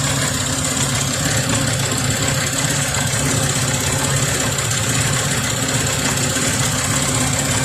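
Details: 2001 Ford Explorer 4.0L V6, warm idle: steady fast ticking puff over the engine hum from an exhaust manifold leak at the back of the left (driver's) side, with visible smoke; exhaust manifold leak.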